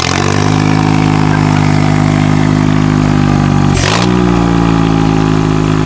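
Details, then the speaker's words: Mitsubishi Lancer 4G15 turbo engine build, first start session: clean, steady engine note that drops smoothly when the throttle is released and settles evenly; revs freely with no knocks or misses. "we're just gonna start this up again give it a few more revs hopefully uh I'm not annoy anyone but I want you guys to be able to hear this sounds really good"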